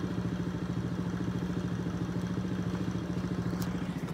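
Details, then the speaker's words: Old single-cylinder dirt bike after idle adjustment (carburetor screw turned): even, steady thump at about three and a half beats a second, no hunting or stalling; now idles well. "there she is running running like it up looks good running good everything seems to be good"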